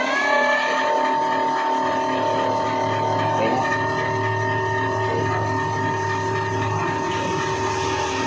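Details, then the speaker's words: E-bike hub motor after repair of stop-start running and battery charge dropping under load; test run with accelerator, forward and reverse. Clean steady whine with even pitch, no stutter or dropouts: normal smooth hub motor run. "So okay na guys kung nakita naman ninyo smooth na yung ikot ng kanyang ah motor. Hindi na yung pahinto-hinto nung una."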